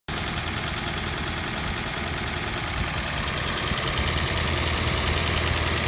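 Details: Toyota Prius 20 with 1NZ-FXE engine, 2010, 120,000 km: steady idle with a sharp, regular tapping of about three knocks a second. The knock began after a Lavr ML203 decarbonizing at a service and changed after 100 km; it runs well, with no error codes, and plugs and coils were replaced.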